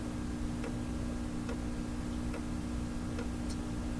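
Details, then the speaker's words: Fleetwood 660 record player turntable motor after a slow start, now up to speed near 78 rpm, with strong resistance felt; steady low hum with a soft click about every 0.85 s at the same point. Slow start possibly a capacitor, unconfirmed. "reasons why that could be happening and it could even be a capacitor that's cause that slow start but it does turn at speed"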